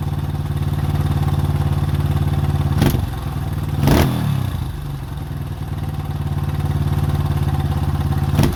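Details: 2005 Honda CRF150F California street-legal, after valve adjustment and carburetor tune-up that fixed a no-start and high idle: steady, even single-cylinder putter with brief throttle blips; runs cleanly and holds speed, healthy idle.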